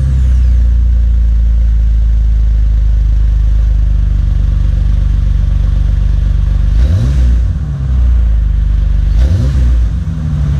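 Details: Healthy revving of a 2005 Jeep Wrangler Unlimited after installing a Magnaflow Off Road Pro Series cat-back exhaust (part 17121): deep, steady exhaust drone with two clean revs that rise and fall, no rattles or hissing leaks; engine and exhaust sound healthy.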